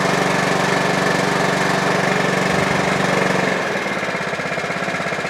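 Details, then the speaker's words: Mountfield HP42R mower after throttle cable box repair, new air filter, sharpened and balanced blade, on choke: runs strong and even, settling to a steady lower beat. "Okay, so that's a Mountfield HP42R now all up and running."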